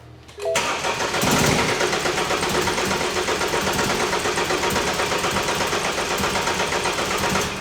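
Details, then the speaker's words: BMW F30 328i with N20 engine, towed in dead, code for a locked exhaust cam: long fast cranking with uneven chuffs that almost catch but never run. Crank no-start; cam timing is off, with compression suspected to leak into the exhaust. "as you can see it was almost going to catch but the timing is off when we checked it for codes it was indicating that there's an issue with the exhaust cam it's locked"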